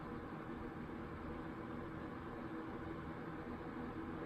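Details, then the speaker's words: 1992 Super 8-inch box fan, model BF1000, 120 VAC 30 W 3-speed shaded-pole C-frame motor, serviced, on low: soft even rush of air, faint low hum, very quiet startup, no ticks or rattles; running normally. "here it is on low it's got a very faint startup sound very quiet and low"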